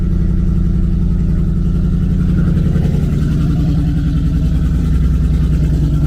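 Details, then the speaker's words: Loud, raspy idle with a sharp puffing beat that grows with a light rev; sounds like a big exhaust leak, stock headers, unknown whether cats fitted; engine runs fine, some smoke from exhaust. "thing it sounds like it has a heck of an exhaust leak i don't know it's loud"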